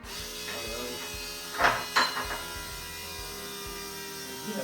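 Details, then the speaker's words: Boosted big-block Chevy being rebuilt after a broken timing chain: the electric fuel pump primes with a steady buzz and quick ticking as it pushes air through the lines, checked at the tank return line before reaching 70–75 psi. "hear that's pushing the air. >> Pull the um cap off and there should be a little bit of fuel coming out of this return line in the top of the tank right here."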